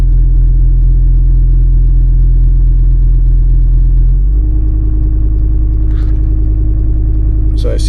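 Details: 1996 Volvo 850 2.5 TDI (D5252T, Bosch VE EDC) at cold start: deep diesel rumble with an uneven beat around 200 a minute; it feels rich, and live data shows actual MAF far off desired; cause unclear.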